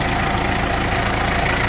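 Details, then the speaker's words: Mitsubishi L300 diesel at idle, before repair: coarse metallic rattle from the clutch release bearing that gets louder when the clutch pedal is released and disappears when it is pressed; pedal is rough and engagement delayed, and the owner suspects the transmission must come down. "Narinig yung mga boss ano, kapag binitawan yung clutch pedal, lumalakas yung ingay niya."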